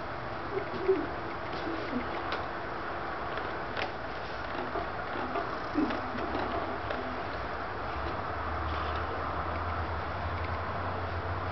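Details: Scotts motorcycle steering damper creaks and clicks sharply, about twice a second, only on higher damper settings with the bars forced against it; the clicking can be felt and something may be binding.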